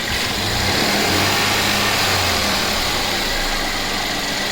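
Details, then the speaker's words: Mercedes-Benz E350 with M276 V6 after replacing ignition coils and spark plugs (one coil broke stuck in block): smooth steady idle, even level, no stumble or miss; running properly, no smoke, smells a little funny. "that's okay it's running it's running properly running properly"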